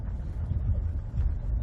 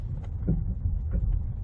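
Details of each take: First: Ford front end: only a steady low road rumble, no clunks or knocks over bumps; quiet, tight front suspension. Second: Ford with power steering, driving at low speed: loud clunky metal-on-metal noise up front, heard mostly on the passenger side when turning into a parking spot; rack replacement was quoted, but the cause was a loose stabilizer bar end link.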